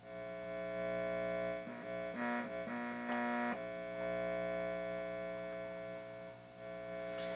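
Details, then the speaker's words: Restored organ tube amp, right channel: low steady buzzing hum under brief tones, gone with volume down, so introduced early in the signal path and amplified; mains hum suspected, not confirmed. "so there's some with the volume down it's not there so the noise is being introduced early on early on and it's being amplified"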